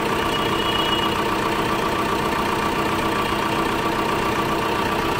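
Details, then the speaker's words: Tata Safari diesel after alternator clutch pulley replacement, alternator charging 13.7 V with AC and headlights on: even, steady idle with none of the earlier rattling growl from the front of the engine; normal idle. "Engine में जरा भी sound नहीं है जैसे पहले घड़ घ घ करता था"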